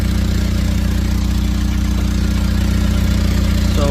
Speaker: all right so what we have here is a deep Patriot problem is the uh exhaust is leaking making a lot of